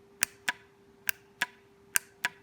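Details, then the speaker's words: 2008 Cadillac Escalade ESV air suspension compressor after rebuild (wires resoldered, magnetized piston cleaned and lubricated): crisp paired clicks about every three-quarters of a second over faint hum, solenoid switching normally. "okay guys this is what uh that solenoid should sound like when it's working"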